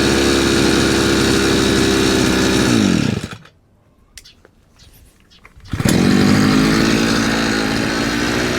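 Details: Chinese 43 cc two-stroke brush cutter that wouldn't rev and stalled, tested after repair: screams at steady high revs, drops briefly, picks straight back up and holds clean and even; running properly.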